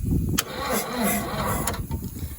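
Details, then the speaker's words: 1963 Case 310F diesel bulldozer, first start attempts after 15 years sitting; fuel now reaching number three. Starter drags the engine slowly and unevenly without firing. Weak cranking, suspected poor cables and bad ground. "This ground's probably not great. These cables aren't great. Hm, might not have enough go."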